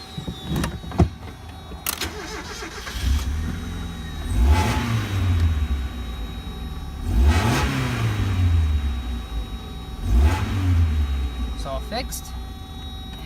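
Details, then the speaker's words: Mazda Miata, the day after a misfire and check engine light were cleared, with about 50 miles driven since and no light back. It starts and takes three clean rev blips, each returning to an even, steady idle with no stumble, so it runs healthy. "here we are the next day and it works no check engine light I drove it already like 50 miles everything's good"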